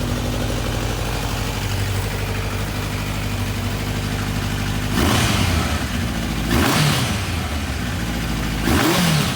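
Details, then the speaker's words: Kawasaki 1000 ATV engine, 76,000 miles, airbox deleted for individual air filters, carbs rejetted and float bowl cleared of debris: steady idle with clean throttle blips and no misfire, before the engine comes out. "we're just fired it up this will be the last time you hear the engine in this bike"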